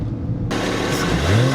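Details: BMW 335i N54 after boost leak fix, alternator, water pump, gaskets, walnut-blasted intake valves and catch can, around 2,500 rpm: smooth pull with rising tone and quick airy blow-off valve rush on lift; turbo working properly.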